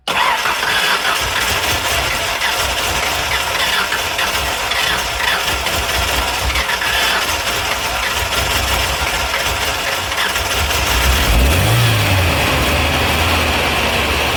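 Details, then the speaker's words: 1994 Ford Ranger 2.3 with eight spark plugs, 228,000 miles, blowby checked and not bad: cranks and catches, then a stumbling, lumpy idle with a rough rise when revved; engine misfire, cause unknown. "As of right now, we know it's misfiring and it's not running the best and it's got the uh lovely eight spark plugs."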